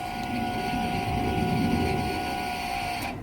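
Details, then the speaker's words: '78 Power Wagon with a 383, sat over 10 years: a socket on the balancer bolt touching the chassis makes the fuel pump run with a thin whine, which then stops. The cause was a loose, backwards wire lying on the chassis. Bad ground. "you notice as we hit the socket which is on the bottom of the balancer to the chassis if it grounds out we've got a mystery fuel pump it sounds like somewhere just"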